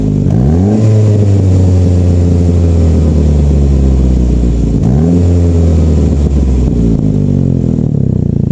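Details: Saab 9-5 with its flex pipe broken by winter: two quick revs with a loud, blatting low exhaust note that swells with engine speed; exhaust leak from the broken flex pipe.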